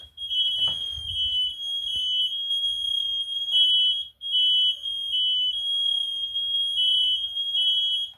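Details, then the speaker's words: Kidde i9010 and fireX i4618ac smoke alarms in a box steam-tested with a humidifier: several shrill high tones beep together in overlapping pulses as a whole bunch go off, responding as they should. "A whole bunch of them are going off right now."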